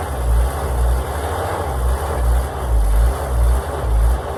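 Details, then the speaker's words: Oshkosh plow truck, possibly 1956, engine governed at 2800 rpm, sat about 10 years, started in winter with a temporary gas tank, replaced points and coil, no coolant, full exhaust, hydraulic pump disengaged: deep, low idle, gently rising and falling, no knocking; runs fairly well. "seem to be running pretty good for sitting forever even has a full exhaust on the pump is currently disengaged"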